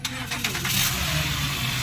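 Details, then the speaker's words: Honda Pilot after alternator repair with new rotor, spare battery fitted: brief crank, then the engine catches cleanly and settles into a steady, even run; alternator now charging. "गाड़ी स्टार्ट है। Generator metre लगा।"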